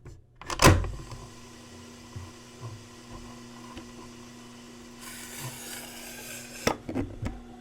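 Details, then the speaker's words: Panasonic RE-7070 8-track player/AM-FM receiver playing a cartridge: steady low hum with scattered clatter and rattle from the noisy cartridge itself; machine is nearly silent without tape. "by the way all that racket is from the tape itself this cartridge is super noisy without the tape the machine makes almost no noise"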